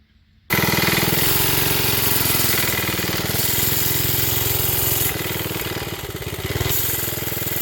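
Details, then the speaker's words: Briggs project small single-cylinder engine, owner says carb at fault: runs loud, sags and picks back up, never settling to a steady idle. A spring under the seat did not settle it. Surging, hunting idle from a fuel-side problem. "There it goes. You can hear it just doesn't want to settle down. And that's the carb."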